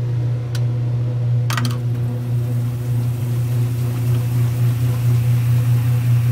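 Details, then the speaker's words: 1978 Kenmore 70 Series washer with new-old-stock motor, belt and pulley, spin cycle: steady low hum of the drum spinning evenly, a couple of brief clicks, no grinding or knocking; spins and brakes normally. "oh yeah that belt and everything's breaking and that sounded sweet"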